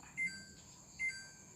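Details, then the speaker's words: Samsung WA13WP 11 kg top-load washer that won't wash: two short high-pitched beeps about 0.8 s apart as the IE error code shows, indicating a water level or pressure system fault. "IEนี่เกี่ยวกับอ่าระบบน้ำนะครับผมIระบบน้ำ"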